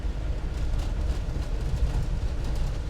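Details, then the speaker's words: 1995 Land Rover Defender 110 300Tdi cruising about 35 mph in fourth gear: low road rumble with soft thuds over bumps, no rattles or clunks, suspension working normally. "You can hear the vehicle absorbing the bumps. The suspension's doing what it's supposed to do."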